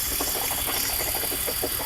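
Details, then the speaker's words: 2004 BMW X5 misfiring on cylinders 2 and 3 (codes P0302, P0303, P0300), which have no compression. Uneven, stumbling idle with irregular puffs and dropouts a few times a second. Misfire from low compression; owner says the engine is practically useless. "el 2 y el 3 no me sirve no hay compresión ustedes quiere decir que el motor prácticamente no nos sirve"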